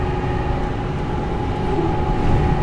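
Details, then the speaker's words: Dodge truck, driving at 45 dropping to 40 mph: constant mid-pitched whine over road rumble, present all the time; rear differential pinion bearing wear. "it's doing it all the time uh this has definitely got a problem in it"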